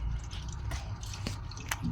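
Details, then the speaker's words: Sharp automatic washing machine under repair for a no-power fault, set to spin dry to test the drain valve: soft gurgling and dripping as water runs out, no motor hum; drain valve opens and the tub drains normally. "Yan, hintayin natin kung humihila yung drain valve. So ayan, oh, lumabas yung tubig."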